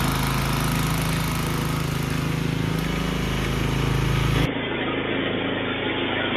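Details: Snowblower single-cylinder engine stored 4 years in a shed with the fuel shut off and stabilized gas, fired on the first pull; it holds a steady, even full-throttle drone off choke with no surging or misfire, running normally.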